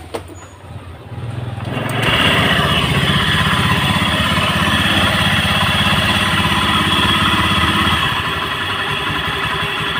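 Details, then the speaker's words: Honda Beat scooter idling: harsh, rattly, dry-bearing roar that persists with the CVT removed, so it comes from a worn bearing inside the engine. "suara berisik itu seperti ini ini suara berisiknya sumbernya dari bearing"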